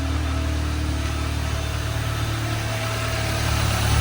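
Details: 2015 Audi A3 after camshaft adjuster magnet replacement, which cured rough idle and stalling. Even, low steady idle hum with no stumbles or misses, rising slightly at the end; normal idle.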